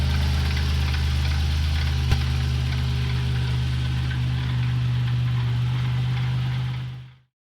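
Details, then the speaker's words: 1990 Toyota Pickup 3VZE V6 with failing water pump, leaking coolant and overheating: low steady droning hum with faint rhythmic rumble at idle, fading as engine stops; at first mistaken for bad CV joints. "So here's what a bad water pump sounds like. I was driving around all day until I noticed what sounded like bad CV joints, but then I noticed I was overheating."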